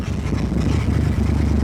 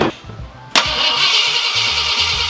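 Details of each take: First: Lowered Ford Galaxie V8 being driven after idling fine and after voltmeter checks: deep rumble under load with an uneven, stumbling beat instead of a smooth drone; a misfire under load that driving does not clear. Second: Lowered Ford Galaxie V8 after installing a working distributor and rewiring, with no timing in it; short crank then catches at once into smooth even idle, no stumble or misfire; normal start and idle.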